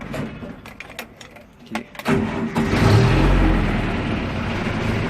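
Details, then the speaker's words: 608 truck diesel heard from inside the cab after the engine cover hatch is refitted and latched tight: cranks, catches and settles into a muffled, steady idle with no odd knocks; sealing greatly reduces cab noise and heat. "O motor tá ligado. Ameniza bastante, mas bastante mesmo. Tanto o barulho quanto o calor. Pode perceber que o motor tá ligado, mas o barulho aqui é bem menos."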